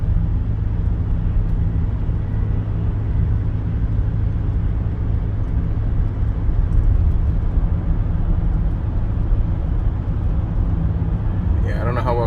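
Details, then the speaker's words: 2013 Toyota Highlander on noisy Toyo tires at 45 mph: low road rumble with slow rhythmic woo-woo pulsing, no steering shake or pull; cupped, feathered tire wobble noise. "when I go 45 miles per hour as soon as I hit that speed it makes a weird woo sound like a whoa whoa whoa whoa sound I get no shakes in the steering wheel it doesn't pull to the side or anything like that"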